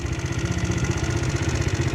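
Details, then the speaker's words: GY6 scooter after refitting its lost performance air filter, rear wheel turning to warm up: steady even low putter at idle with no knocks or misses; idle just a little low, engine sounds healthy. "All right, so this sounds good. The idle is just a little low, which is, there we go."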